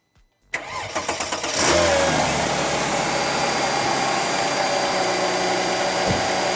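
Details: Mercedes CLK320 M112 3.2L V6 after replacing shredded serpentine belt, tensioner and upper pulley: cranks briefly, catches cleanly and settles into a smooth even idle with no belt squeal or chirp.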